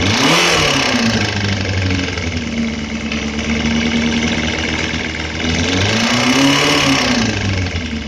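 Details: Suzuki Bandit 250 engine revving up and down: hard metallic knock that quickens with revs; teardown found a spun connecting-rod bearing on cylinder 3, crankshaft scrapped.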